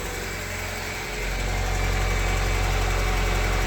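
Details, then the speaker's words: Honda Civic EF sedan at idle after snapped timing belt repair: steady low hum under even idle with slight rocker-arm ticking; owner suspects wheel rubbing where lower cover was cut, timing possibly a tooth off. "That sounds like rocker arm ticks. Yeah. And it sounds like some kind of humming."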